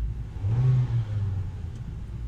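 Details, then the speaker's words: 2010 Ford Focus after replacing two motor mounts: petrol engine revs briefly to low revs and settles smooth and even, shaking and vibration about 95% gone and no dash rattle, formerly worst around 1500 rpm with AC on. "seriously a drastic improvement the shaking and vibrating and all that crap is pretty much 95% gone it's nice and smooth the way it should be"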